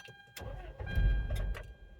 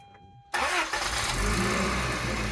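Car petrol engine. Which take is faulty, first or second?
first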